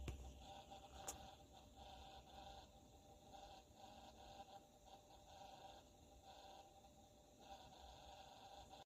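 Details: Brand-new NZXT Kraken Plus 240 AIO CPU cooler (RL-KN240-B2): quiet, steady electrical buzz with a fixed pitch under faint fan hiss; pump noise started when new, cause unknown.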